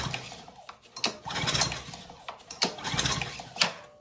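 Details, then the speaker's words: Ryobi pressure washer engine, spark plug out, thumb over plug hole, plug wet with fuel: three quick recoil pulls spin freely with no compression bump or air push at all; valve stuck open, valves checked next. "Hold our thumb over the hole that spark plug screws into, and oh, there is nothing."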